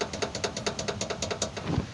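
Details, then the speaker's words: Car: quick tinny metallic rattle, about nine taps a second, from a loose skid plate bolt that can be mistaken for a shock absorber, control arm or ball joint fault. "Isso aqui faz tu pensar que é amortecedor que a bandeja que é pivô que é tudo que tu imaginar é às vezes não parafusinho bem aqui ó"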